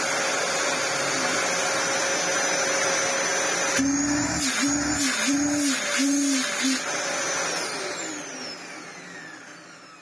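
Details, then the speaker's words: Restored Dyson DC07 Clic vacuum: the motor runs steadily, then a low hooting tone pulses about four times a second before it winds down. Owner suspects an air leak or seal somewhere; source unknown. "that noise well I say oh it's almost like it's got a leing somewhere when you hit it sounds like a shark cylinder"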